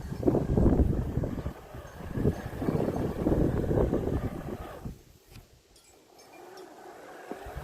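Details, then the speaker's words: Bosch Indigo S+500 robot mower crossing uneven lawn: irregular hollow low knocks about three a second from the body suspension, which lacks rubber dampers over its movement holes—knocking over uneven ground. "So you can probably hear the knocking of that suspension that I was mentioning the other day, which is annoying."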